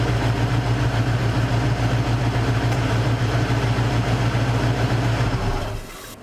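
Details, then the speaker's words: Cougar after a major misfire was fixed: even, steady idle with a smooth regular beat and no stumble or skip until shut off; the exhaust smells less of fuel, and the misfire is gone. "miss fire's gone she sounds good all right no point wasting gas"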